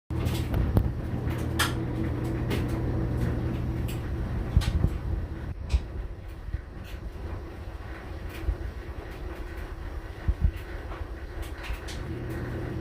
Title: Listen to my #Samsung dryer make an awful noise. What could it be?!